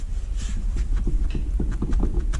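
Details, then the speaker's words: 1978 first-generation Honda Civic, rear raised, drum rocked by hand: irregular dull hollow clunks showing rear hub slop despite new wheel bearings, unlike tight trailer bearings; cause suspected, not confirmed. "doesn't sound too bad turning it but lots of slop as opposed to the trailer"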